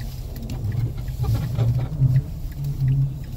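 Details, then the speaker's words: Mazda driving over bumps, noise from front right after hitting a snowbank, worse in very cold weather: low groaning rumble with irregular creaks from front end. "that's the noise I'm trying to diagnose the right there I think when I hit a snowbank some"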